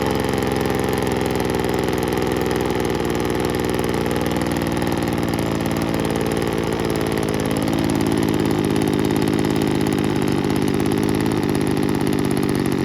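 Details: 1980s/90s McCulloch two-stroke gas leaf blower (Zama C1U-M21B carb), rebuilt with a carb kit and new fuel and air filters, cold morning, likely in the 30s°F: buzzy, even idle with a slight lift in speed, no surging or dying.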